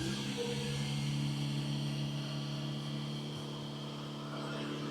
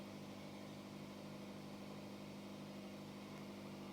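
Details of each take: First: Hyundai first started after transmission valve body solenoid reinstallation, before the transmission adaptations were reset: steady, fairly high-pitched hum holding without dipping; high idle speed. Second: Hyundai hybrid with transmission fault, after valve body rework, in Park with no DTC while the battery charges past 30% state of charge: quiet, smooth, steady low hum with no knocks, ticks or hunting; normal idle.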